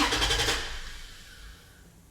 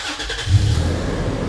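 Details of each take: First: Toyota FJ Cruiser with stored B2784 antenna coil circuit open code after its ACB operator was replaced and removed parts refitted: starter cranks at an even rhythm for seconds without firing, crank no start; immobilizer light no longer blinking, DTC may need clearing. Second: Toyota FJ Cruiser that cranked but wouldn't start (immobilizer code B2784 antenna coil circuit open) after an unplugged connector was refitted and codes cleared: brief crank catches quickly into a strong, steady, low even idle. Normal start.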